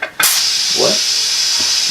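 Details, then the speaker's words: Loud steady hiss with no pulsing while inflating a new tube in a 60-year-old 13-24 Goodrich Hi-Cleat tractor tire on a 100-year-old wood spoke rim of a Ford AA doodlebug; air is probably escaping between tire and rim while the bead seats. "Might be pushing air out of the... Probably coming out of the tire, between the tire and the rim."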